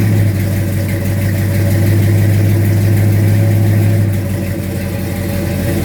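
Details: 1972 Mustang Mach 1, rebuilt 351 Cleveland Cobra Jet V8 with Wolverine Blue Racer cam (510/536 lift, 290 duration), cold; choppy loping idle with light rev held around 2,000 rpm, even and strong; normal lumpy cam idle.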